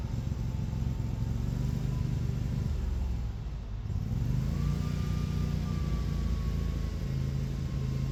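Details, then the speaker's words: Dixie Chopper mower whose new battery keeps losing charge: the engine rumble sags sharply and nearly dies, then recovers unevenly; it bogs and shuts off with choke and blades engaged, and the owner suspects trash in the fuel. "It uh started bogging. I pulled the choke. It held fine, but uh it didn't like running the choke and the blades at the same time, so it shut off."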